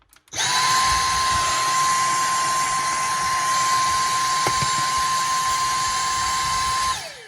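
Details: Dyson handheld cordless vacuum after fixing a whining noise caused by the purple filter's loose rubber O-ring gasket vibrating, resealed with earplug cord: steady even motor tone with soft airflow rush, then winds down.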